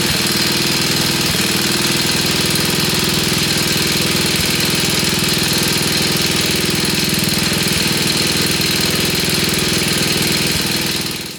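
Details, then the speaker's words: 1966 Sears Custom lawn tractor, first start, with choke: loud single-cylinder idle with an occasional stumble every few seconds; uneven idle needing adjustment, owner unsure what is burning off. "All right, we need to adjust the idle a little bit more. I'm not sure what's burning off."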